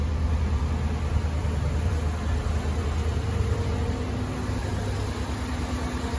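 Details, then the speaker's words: 2017 Chevy Suburban, 87,000 miles, which had random misfires and rough morning starts: idle just after a cold start with new spark plugs. Quiet, low, even idle with no miss and no rough idle. Normal idle. "Sounds really good. You can't even hear it running, of course. It's all factory. Sounds really good. No miss, no rough idle."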